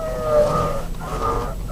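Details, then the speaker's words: Nissan X-Trail T31 (owner says 2012, about 65,000 km), wheel turned hard: a wavering high squeal and howl rising and falling. The dry steering shaft is rubbing in its rubber firewall seal; the fix is cleaning and greasing it with Litol-24. "вот при интенсивном вращении руля вот такой вот вой можно его так назвать"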